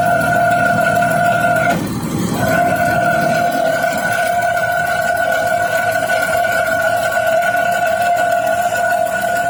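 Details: PTO, jet pump tagged: loud, steady high-pitched whine at one pitch that cuts out briefly then returns unchanged; noisy PTO, cause not pinned down.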